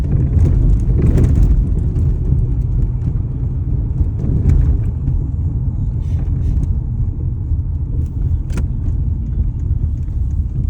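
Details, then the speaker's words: 2004 Toyota Corolla pulling away from a light: deep, uneven rumble with sharp knocks, engine shaking and acting like it will die, check engine light blinking; cause unknown. "And you can hear it start to knock. It's got a knocking D sound to it. But even more than the sound is it starts to act like it's just going to die."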